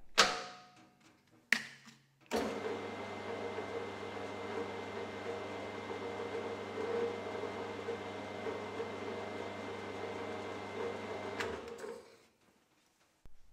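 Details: HAFCO AL320G lathe gearbox after refilling with thicker, extra oil and fitting a new top-cover gasket, running at high then low speed. A steady gear whine with a low even hum and no clatter or knock; noticeably quieter.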